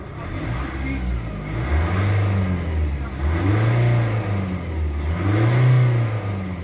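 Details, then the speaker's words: Nissan Navara Calibre diesel after an engine cleaner and protector treatment for throttle delay, vibration and low power: revs blip up and settle cleanly with no drone, shudder or hesitation; smooth, free revving. "tsaka yung ano niya tunog niya pulido ba? Pulido kanina parang ugong o paminawa. Oo. Pulido siya na smooth. Parang ganon."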